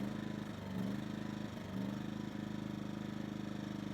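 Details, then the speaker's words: Yamaha EF2000iS inverter generator idling unevenly, dipping and recovering about every second, worse in Power Save mode where it can't hold idle; lean surge likely from a clogged pilot jet, choke partly compensates. "there it is there's your surgeon now if we turn on Power Save mode it gets even worse so normally that would be able to hold an idle in power same mode but right now it can't"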